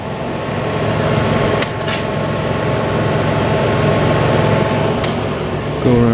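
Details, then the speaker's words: Hyundai Kona Electric warming up the cabin, heat pump and fans located in the front: steady even rush of air over a low constant hum, no rattles or squeals; normal heat pump and fan operation. "So you can hear what noise the heat pump and the fans make."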